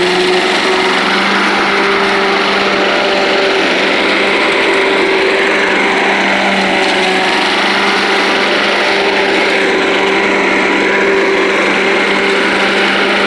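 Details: Old Rover Turbothrust mower made in Brisbane, Australia, at full throttle: a steady high buzzing drone like a leaf blower, constant pitch with no misses or surging; runs smooth, normal running.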